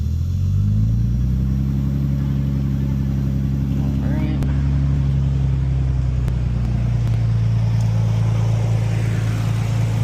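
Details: Nissan Stagea started after replacing the front fuel line with proper SAE-rated line: the engine settles into a steady, even low hum with no misses or stumbles and no fuel leaks; normal idle.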